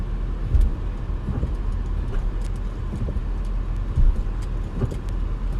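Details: 2005 Honda Accord while driving: dull irregular clunks roughly every second through the road rumble, worse on one side, tires seen shifting. Suspected front lower control arm noise, not confirmed.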